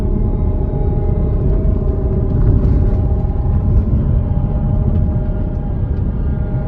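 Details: Audi Quattro AWD transmission (also VW, Porsche, Skoda) with a deep steady rumble and faint droning tone on top, from a worn transmission bearing.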